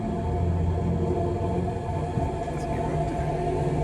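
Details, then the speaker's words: Boat electric drive motor run in reverse against a mooring ball after a battery post repair and a new cable, at about 50 amps: steady low hum with a constant motor tone, no knocking or grinding. Normal running in reverse under load. "I'm just gonna pull on my mooring ball. Start to increase the amperage. I can now hear it going in reverse."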